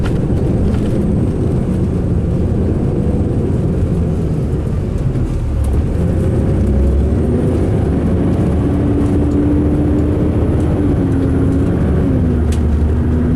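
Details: 2005 MCI D4500 coach, Sound Transit route 594 to Seattle/Tacoma: heavy low diesel rumble with uneven, wavering drone while running and idling; rough running, cause not evident.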